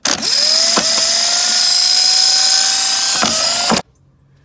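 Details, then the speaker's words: Starter on a 1965 Chevy C10: a click, then a high, steady free-spinning whine with no cranking beat. The starter drive is not fully engaging the flywheel, and the engine may also be locked up. Starter drive not engaging flywheel. "what's wrong with it it's not fully engaging all the way"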